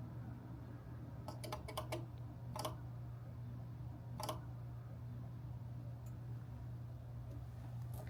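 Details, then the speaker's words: SolarEdge inverter at the end of commissioning: a few sharp dry clicks in short clusters over a steady low hum as relays close, then the lights go solid and 19 optimizers are detected; normal startup. "When you hear the clicking sound, that means it's free commission and it's ready to rip."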